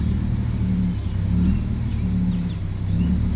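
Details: BMW 330i straight six that won't respond to the accelerator pedal, as if starved of fuel: low uneven rumble stumbling and dipping irregularly instead of pulling cleanly; misfire traced to bad spark plugs and moisture on the coils.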